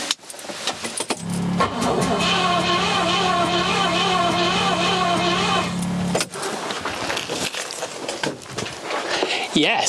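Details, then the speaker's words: Rover P6 with 4.6 V8 that would not start, cranking on the starter during compression test: about four seconds of even, regular turnover beat; compression now reaches 70 psi. "we have got to that 70 psi that is a good thing fantastic we've got compression on this engine which means chances are it'll start"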